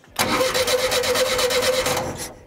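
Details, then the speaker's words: 1975 VW Shorty bus wheelie machine, sat over 20 years: starter cranks in quick, even pulses about five per second for two seconds with no catch; a pop heard but no spark, a bad ground is suspected. "Nothing. I heard a pop, but I didn't see any sparks. I mean, I heard a poof. Yeah, it sounded like it tried to crank."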